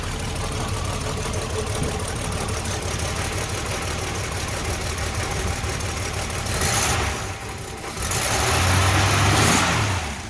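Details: 1966 Dodge Dart with 225 slant six, cold start after a cold spell, choke set, three pumps: steady, even chugging at about four beats a second with a couple of light blips; healthy normal idle.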